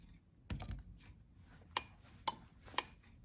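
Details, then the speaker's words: Sea-Doo electrical relay on a bench tester with bench battery, after replacing a failed relay: four crisp evenly spaced relay clicks about two a second with green status light, a good working relay. "And there you go. You can hear the relay clicking. And we're getting a green status light, which means this relay is good."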